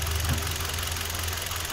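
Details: Kia Soul idling with a low, slightly uneven throb; the customer reported unstable idle, and a misfire was traced to a failed ignition coil using an Autel scanner.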